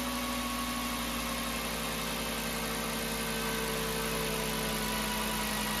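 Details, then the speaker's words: 2007 VW New Beetle 2.5 cold start after replacing the PCV diaphragm (Dorman 617 064), which had caused a loud whistle and loping idle. A high idle comes down to a smooth, even idle with no whistle or hunting. Fixed. "so this is a cold start it starts off in a bit of a high idle and then it'll come down to a regular idle"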